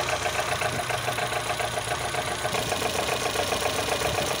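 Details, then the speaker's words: Volvo B20 petrol engine at idle: rough, uneven diesel-like knock as worn fiber timing gears let ignition timing jump around, especially at idle; timing gears clearly worn, to be replaced with OEM gears. "纤维齿轮通常会逐渐使汽车在怠速点火时听起来像柴油不均匀。到处乱跳表明正时齿轮明显磨损"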